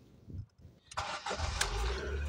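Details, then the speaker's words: Ford Focus 1.6 petrol, just started: cranks briefly, catches, then holds a fast raised hum over 2000 rpm, slow to drop after revving and staying above 1000 rpm; faulty idle control actuator. "donc le régime vous voyez là il est plus de de 2000 tours minutes quand j'accélère il va rester trop longtemps pour qu'il descend"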